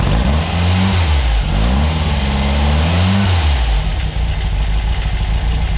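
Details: VW air-cooled 2332 cc stroker flat-four (SCAT 84 mm crank, Mahle 94 mm pistons, Engle FK42 cam, dual Weber IDF 44) in a 1966 split bus, after carb adjustments during break-in: deep, even idle; throttle blips climb and settle cleanly; healthy.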